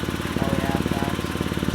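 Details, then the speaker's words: BMW 128i with stock exhaust at idle: sharp rhythmic chuff on each exhaust pulse from an exhaust leak found with soapy water; plan is to tighten the heavily rusted bolt at the joint. "so we're gonna try to tighten the bolt and see if that fixes it we're gonna try to tighten up to see if that works and fixes the exhaust leak"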